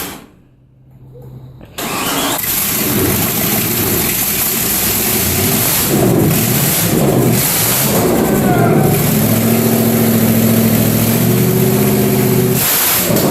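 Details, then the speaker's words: 1973 Nova SS with freshly rebuilt 383 stroker small-block V8, first start with no exhaust fitted: cranks, catches and roars to a loud, raw, crackling idle, exhaust coming straight out of the headers with flames seen. "There's no exhaust. It's coming right out of the guts. Is it supposed to do that?"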